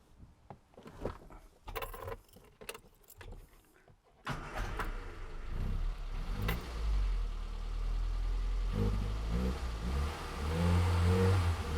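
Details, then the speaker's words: Low-mileage 1984 Austin Mini, SU HS4 carburettor, after servicing the Lucas 45D distributor and fitting a new king lead; engine fires, then stumbles and bogs briefly when throttle is stamped fully open before picking up, a pre-existing hesitation. "Now, that hesitation, I was putting my foot straight down on the throttle pedal, and it doesn't like that."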